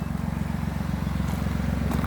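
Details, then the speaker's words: Nissan Maxima petrol V6, auction rebuild with 142,750 miles, run off the road over a curb, which bent the exhaust; loud, rough, pulsing low rumble at idle from an exhaust leak at the rear manifold, which needs replacing. "i don't know if you can hear but it's running kind of loud it got exhaust leak on the back manifold"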